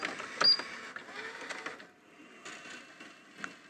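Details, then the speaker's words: National/Panasonic NV-730 VHS VCR after repair, clicking noise gone, final test: light mechanism clicks and thin steady whirr on rewind; rewinding smoothly, machine working properly. "pretty good yeah so it seems to be a quite nice functioning machine"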